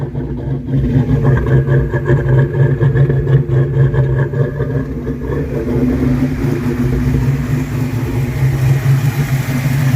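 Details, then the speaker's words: 1982 Mustang GT just after a swap to a brand-new rebuilt V8 with heads and cam, newly painted headers smoking, high oil pressure on the gauge. Steady, even V8 rumble at smooth idle with no knocks, ticks or misses. Normal idle. "But it's running. My God, it's running."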